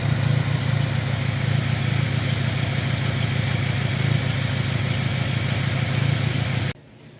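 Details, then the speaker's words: 2002 Saturn SL idling with its original ignition module refitted: rough, lumpy idle with stumbles as cylinder 4 misfires again; random cylinder 2 misfires likely a side effect of cylinder 4. "isfires all right so i put the original module back on this car and look at that there goes our misfire back on cylinder number four once again"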